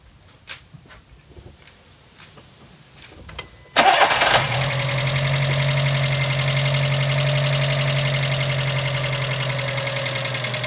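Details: VW Gol G4 EA-111 2006 engine cranks and idles roughly with a misfire under loud, busy lifter tapping; spark leaking at the third-cylinder coil terminal, caused by a spark plug wire showing no resistance; plugs were replaced three months earlier.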